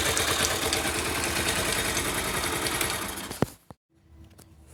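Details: 2009 Yamaha YBR/Factor 125 single: quick light tick-tick-tick about three or four a second over the idle, then engine shuts off; engine noise later fixed, engine silent afterward.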